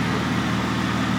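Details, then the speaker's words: Idle of a 3.8L Jeep Wrangler after replacing the faulty No. 4 fuel injector (P0204 injector circuit, misfire) with a genuine OEM Chrysler part: steady, even, smooth exhaust; Pico scope and scan tool confirm the fix. "we have confirmation sounds nice and smooth out the back looks nice and smooth under the hood pico tells us we're good scan tool tells us we're good"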